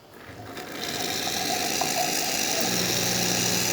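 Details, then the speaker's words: Isomac E-61 espresso machine after full service, hot water spout opened so pump kicks on and drains boiler pressure: noise swells over first second, then steady even fast-pulsing pump buzz; normal pump operation. "Now with these machines, once you hit the hot water and you hear the pump kick on, usually that means all your pressure is going to drain out of your boiler."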